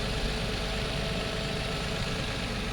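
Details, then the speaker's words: Nissan Maxima 3.5 V6 after timing chain job for worn-out timing guides: smooth, even idle with a steady low hum and no rattle or knock; engine sounds healthy. "timing chain job sounds better than it sounded when it came in here trust me you running pretty good"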